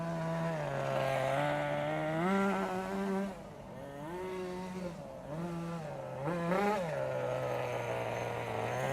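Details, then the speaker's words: 1988 Kyosho Ford RS-200 RC car, OS Max 10 FP-B nitro engine, restored, warmed up, tuned so it doesn't cut out under full braking: high clean buzz climbing and dropping with throttle, tone changes as the small exhaust flap opens; healthy. "and again if you listen really carefully you can hear the change in engine tone when the little exhaust flap opens"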